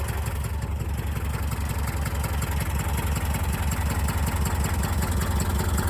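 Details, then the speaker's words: 1984 Subaru Brat (84 or 85) EA81 flat-four, sat about 10 years, now revived: steady low idle, even pulse about three beats a second, all cylinders firing, no misses; timing a little off; normal idle. "She runs like she was never parked. She's firing on all cylinders. Her timing's a little off."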